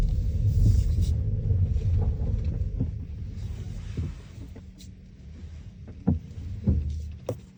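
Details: New Kia Niro driving over speed bumps: low road rumble, then sharp separate clunks/rattles on each bump; dealers could not find the cause; clunk over bumps.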